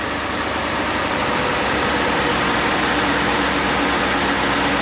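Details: Ford F-150 started right after an oil and filter change: steady, even idle with a lot of hiss on top, no knocks or misses; engine sounds fine.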